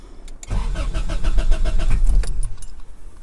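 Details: 1998-2002 Honda Accord, manual, before repair: starter spins engine evenly about two seconds but never catches; cranks but won't start, traced to failed fuel pump relay.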